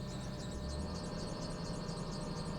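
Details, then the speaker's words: Lexus LS430 V8 after ignition coil work, with no check engine light and low fuel, idles evenly just after start-up, a steady low hum with no misses or stumbles; a squeak is also present. "But the engine itself is running really, really well, so that's huge."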